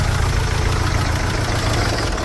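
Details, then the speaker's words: Mercedes Sprinter diesel van just after injector replacement and coding; idle with uneven, lumpy beat and occasional dropped pulse, definitely missing; smooth-running correction for cylinder 2 out of permissible range, number two injector suspected; diesel misfire at idle. "oh that's me just like that oh but they still loving itself but she's definitely missing"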